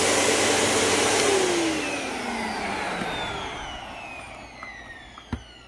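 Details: Riccar Vibrance upright vacuum after new belt: clean, even motor whine with no belt slap or grinding, then smooth falling pitch as it spins down; healthy.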